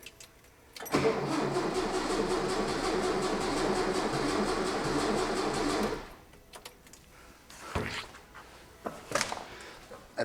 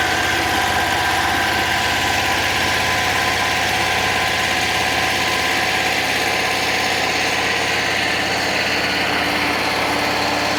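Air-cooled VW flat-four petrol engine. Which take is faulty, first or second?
first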